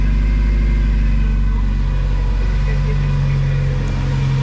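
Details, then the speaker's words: 1993 Mazda Miata 1.6L turbo after installing CX Racing V2 turbo manifold to replace cracked leaking manifold, bigger muffler; deep even steady hum, much quieter, no ticking or puffing, no major exhaust leaks; normal idle. "Much quieter with this exhaust, but also the muffler is bigger than what it had before."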